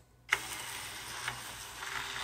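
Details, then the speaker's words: PS3 disc drive before reseating loose drive clips: small motor whirs with fine ratcheting as the disc feeds in unevenly and hesitates to go in; loose drive clips causing loading hesitation. "look at that and that's exactly vertical of what it was doing to me before it would hesitate to go in"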